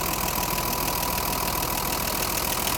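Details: BMW 325i E30 M20, idling after valve clearance adjustment to factory spec: fast even top-end tappet ticking; owner finds it strange.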